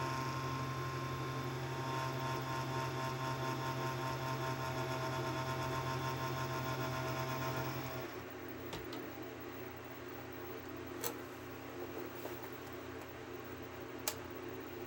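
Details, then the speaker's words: Fan of a 6ft fiber optic Christmas tree: loud steady low buzzing drone for about eight seconds, then stops; fan vibrating against its mounting, bracket may not stay in place, cause unknown. "we don't really know what is causing the fan to do that um something I'm gonna try is see if I can get some like small pieces of fabric lay one on the bottom underneath the fan and another one on the top above the fan and see if that quiets it down"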